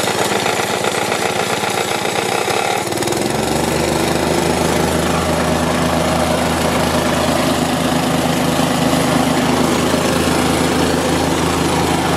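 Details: Store-bought plate compactor with an unknown Chinese Honda GX160-copy engine that had been starting then dying, now fitted with a new spark plug and plug cap: a rough, uneven start settles after three seconds into a steady, even single-cylinder thump; runs properly.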